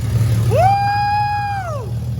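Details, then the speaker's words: Rebuilt Lexus IS300 engine in stock form, first start after almost a year: loud, raw rev sweeps up, holds smooth for about a second, drops cleanly with no knocking; oil pressure present; normal rev. "Well, you got oil pressure. It runs. That was a huge success right there, dude."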